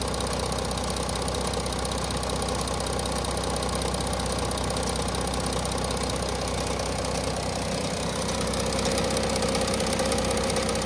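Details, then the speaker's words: Audi A6 C8 3.0 TDI third-generation diesel at idle: busy metallic rattle and ticking over the clatter from a loose timing chain and worn camshaft sprockets, before removing the engine to replace parts; dealer called it normal. "the engine is making bit of rattling noise what you seen on the previous video the chain is a bit loose so it's a combined sound from the engine from the chain and the worn out come shot sprockets"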